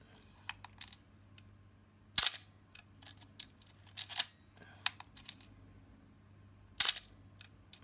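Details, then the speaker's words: Canon A-1 35mm film camera after a little more lubricant and several shutter releases: crisp clean shutter clicks fired one at a time with no trailing squeal. "much better i think that uh that was just a little bit more lubricant and a couple more shutter releases i think i'll fix it"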